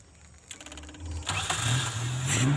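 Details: Motorcycle carburettor engine after cleaning the dirty idle (stationary) jet, which had caused stalling at low throttle and stuttering; test start shows short crank, immediate catch and steady, even idle without stumbling.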